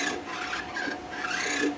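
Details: Stamina InMotion E1000 mechanical elliptical trainer: dry scraping rub with short squeaky chirps each stride cycle; roller wheel squeak suspected, not confirmed.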